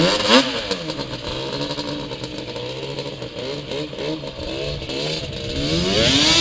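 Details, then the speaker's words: 2003 Yamaha Banshee two-stroke during tuning and plug chop, started first kick: revs rise and sag unevenly, pitch stumbling as if starving; suspected running out of fuel, not confirmed. "What is that? It's running out of fuel, I think. Yep."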